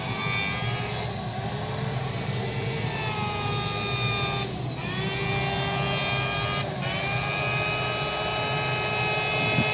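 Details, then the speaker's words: Electric wood planer with loose upper/lower housing, armature previously burnt and replaced: whining rough wavering growl, rotation very heavy, body quickly gets hot. "Nah suaranya seperti itu guys ngorok putarannya juga berat banget"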